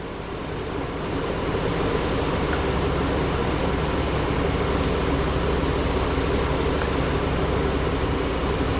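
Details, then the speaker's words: 2004/2005 Dodge Dakota with a rough idle: starts right up without throttle and idles steadily with a smooth, unbroken drone and no misses; exhaust gases now show lambda 1 and trims near 6%. "Start the car up. Wow, the car started right up before I had to give it gas to even get it started. Way, way better."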